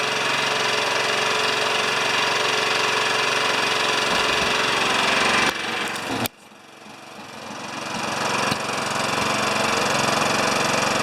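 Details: Older Honda EX1000 generator that only runs on choke, with fuel thought to be last year's premium: engine buzzes hard and steady then sags nearly to stalling and claws back up as if fuel-starved; suspected dirty fuel or dirty carburetor.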